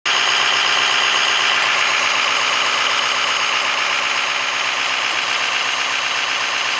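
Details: Idling petrol engine with a fast, sharp ticking puff, about four a second, from an exhaust leak at the catalytic converter flange.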